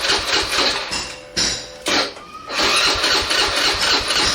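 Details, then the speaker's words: 2015 Suzuki Address 110 after fuel pump and fuel gauge sensor install and fuel line bleeding, key on then cranking: fuel pump fires up, short starter bursts with a brief pause, motor spins freely; normal fuel delivery. "when I turn on the key you're going to hear the fuel pump fire up here it goes listen [Music] that's the fuel pump"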